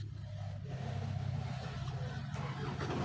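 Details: Isuzu 4HL1 CRDI diesel truck engine after piston, piston ring and liner replacement: a heavy low rumble with a loose, irregular knocking beneath it. Engine knock of unconfirmed cause.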